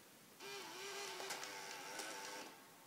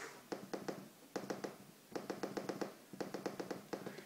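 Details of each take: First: Water-damaged 2010 unibody MacBook powering on with no hard drive installed; the optical drive gives a thin, wavering whir with scattered clicks as it spins up and seeks. Owner suspects a DVD is stuck in it. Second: Water-damaged MacBook on first inspection, before power-on: crisp, sharp trackpad clicks in quick groups of three to seven, each clean and identical; mechanical click works properly.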